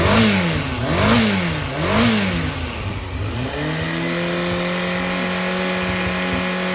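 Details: Yamaha XJR400 (4HM) complete running engine, compression tested, start-up check: three quick revs rise and fall cleanly, then a steady, even idle with no knocks or rattles; healthy, normal running engine.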